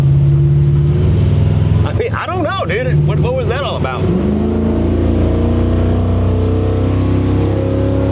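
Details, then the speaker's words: Restarted truck: steady even low rumble with no misses once settled, running smoothly again. "Yeah. So, I mean, she's running good."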